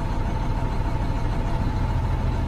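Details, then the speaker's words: 2009 International with Cummins ISM diesel, misfire; Insite cylinder cutout test at idle: cutting number five makes the steady low idle shake and throb unevenly, so it works; cutting number six showed no change, faulty. "Now I'm gonna cut out number five. I hope you can hear the difference, and it trembles a lot"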